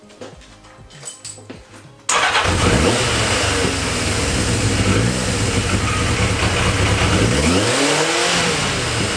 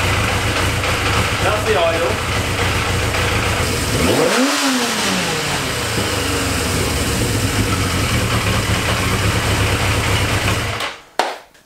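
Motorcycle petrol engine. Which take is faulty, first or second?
second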